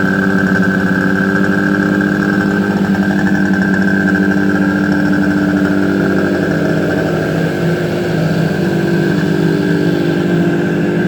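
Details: Suzuki GT250 two-stroke motorcycle, first start after rebuild: steady, even idle with a smooth buzzing beat and no knocks or misses; normal idle.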